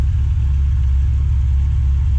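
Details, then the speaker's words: Rover Mini Cooper Si Sport 5 on Evans waterless coolant after engine rebuild, warm at running temperature, gauge normal, radiator fan running, no cooling-system pressure; steady even idle; normal warm idle. "That fan is going at the moment, it's up to running temperature. The temperature gauge is on normal."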